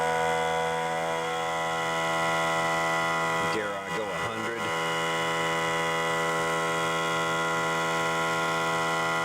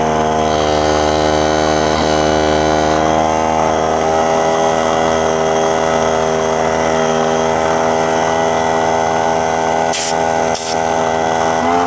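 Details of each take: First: Central Pneumatic 95275 oil-less 3-gallon 100 PSI pancake compressor after fitting two new head seals: even, fast pumping hum with steady pitch, brief handling clatter midway; healthy, building pressure until it shuts itself off. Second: Central Pneumatic 95275 oil-less 3-gallon 100 PSI pancake compressor running: steady motor drone that suddenly shifts tone near the end as the head O-ring blows out and is burned up and destroyed; head gaskets later ordered.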